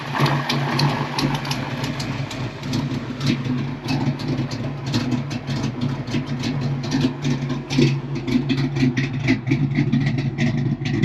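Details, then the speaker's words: Cammed V8 Fox-body Mustang running an older computer, steady loping idle with a deep, even exhaust burble and a slight exhaust leak; idles well, idle could go slightly higher. "Don't get me wrong, I could probably turn the idle up just a hair more. But man, that sounds good. It's actually idling good."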